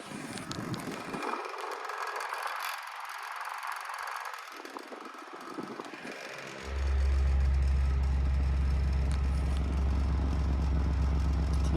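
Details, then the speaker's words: Inverted Pelonis black-and-white table fan on high speed: strong steady hum with a fast light buzz from the loose badge rattling. Tapping the badge starts the rattle, and sometimes it stops on its own. "let's go and start this up here so here is on high and that sound is cuz the badge is is loose you can hear it"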